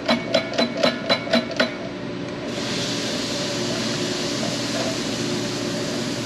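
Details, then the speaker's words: Injector pop test at about 105 bar on a 1939 Caterpillar D4 D4400 diesel, done at a fuel-injection specialist: six crisp, even pops about four a second, then a clean spray hiss. There is no dribble or seeping and the seat is probably healthy. "that's a beautiful chatter on these inder eggs that's a good one that sounds really good"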